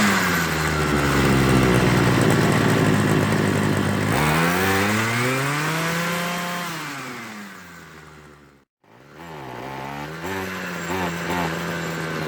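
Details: Homelite 26cc hedge trimmer two-stroke after carburetor and fuel line service, warmed up and being tuned. It sags and surges, dipping almost to stalling and recovering, while the needle valves are opened more. Unstable running.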